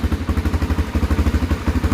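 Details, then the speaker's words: Honda XR400 single with an electric start mod, just started after sitting 2 years, no choke: an even, steady, unbroken thumping idle. It runs well, though it smokes a little. "i think runs pretty good that's smoking a little bit"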